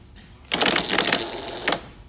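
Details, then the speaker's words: Starter removed from a 2018 Mack Anthem with hard starting, bench-tested on 12 V from a battery charger with a jumper ground to the mag switch. Rapid metallic clattering of about eight clicks a second, then it drops out; starter solenoid chattering, won't stay engaged. "It's trying. It would not stay engaged."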